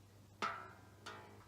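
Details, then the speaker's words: Squier Showmaster guitar during set-up, tuning: two sharp metallic pings about half a second apart as thick strings catch in too-narrow nut slots. "So that pinging is because the nut slots are too narrow for the thick strings, so it's sort of catching in the nut."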